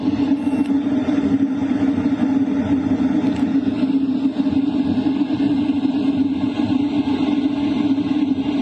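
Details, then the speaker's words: LF Bros diesel heater running in a tent at its maximum 5 kW setting, combustion power 99%. Strong, steady rushing airflow with an even fan hum and no rattles or surging: normal full-power operation. "You can definitely hear the airflow pick up. It's a lot stronger. The combustion power is also at 99%."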